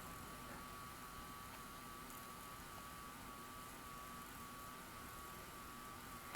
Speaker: Normal play in reverse. You can hear that review motor going. All the good stuff under there is happening.